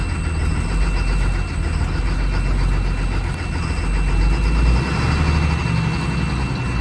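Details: 2004 Blue Bird Vision school bus, 7.2L Caterpillar C7 210 HP, cold start at about 23°F on jumper cables with a gear-reduction starter: deep, steady diesel rumble with an even beat; healthy cold idle.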